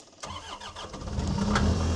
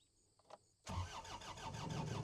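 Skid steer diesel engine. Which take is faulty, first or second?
second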